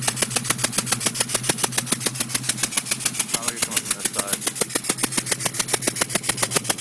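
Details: 2002 GT at idle: sharp regular ticking puffs about three or four a second, from the third cylinder on the passenger side having blown out its spark plug; fixed by re-threading the spark plug hole.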